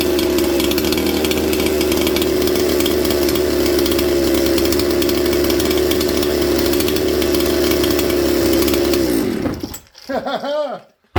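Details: Mystery 200-series junkyard '266' chainsaw, using a rigged wire throttle linkage: an even, steady two-stroke idle that holds without surging or dying, then shuts down cleanly. The saw is idling normally.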